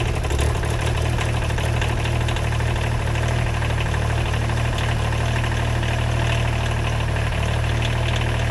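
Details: Small wheel loader diesel at its first start after rewiring, glow plugs used: deep, steady idle with an even low rumble and no misses or knocks throughout; healthy idle.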